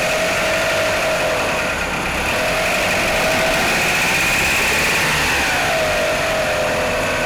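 Cold idle with a steady light tapping, about three a second, over a wavering whine; it knocks from cold, cause still unknown.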